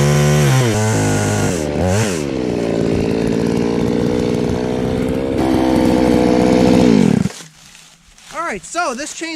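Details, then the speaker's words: Chainsaw after its carburetor high-speed screw was adjusted to cure a high-speed bog (low speed was fine). It screams evenly at full throttle, drops to a steady idle and revs crisply on each blip. It starts easily, idles well and has good power. "like it's running very well now it's starting pretty easy it idles well it has good power"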